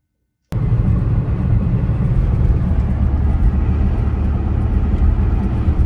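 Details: Porsche, cylinder 3 misfire (P0303) being chased by swapping parts: low, even rumble with no stumble or skipped beats over six seconds; engine runs smoothly with all cylinders firing, normal running.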